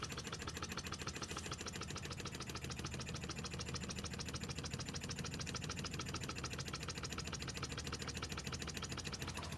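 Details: Scratch-built Wig Wag wobbler oscillating steam engine run on compressed air, pressure adjusted down to run slow: crisp even ticking about 200 per minute, steady; running well.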